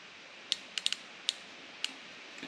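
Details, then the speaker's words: 1993 Ford F150 5.0L 302 fuel injector (14.7 ohms) bench-pulsed from a 12.7 V battery with a current probe; about six crisp solenoid clicks in under two seconds over a quiet background; firing normally. "This is a current probe, and it's connected. You got the battery, and if you listen and watch, you'll hear it click,"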